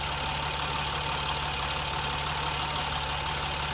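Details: BMW 325i E30, warm idle, probing front of engine near alternator with stethoscope: even whirring hum with faint cyclic pulse that comes and goes, source not yet pinned down; intermittent cyclic whirring noise, cause unconfirmed.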